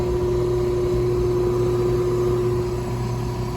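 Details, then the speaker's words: Older Evcon R407C central AC condenser: a constant low hum, no start-up surge, the compressor fails to start. The dual capacitor tested good; amperage is clamped on the black PERM wire. Pressures not equalizing; a system restriction is suspected. "Compressor ain't starting. And we got some kind of restriction on the system too."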